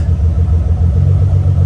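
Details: Car idling for about 30 minutes after a fuel pump control module bypass; the ground wire is not getting hot. Steady, even low idle with a smooth, unchanging throb and no misses or knocks; the engine sounds healthy.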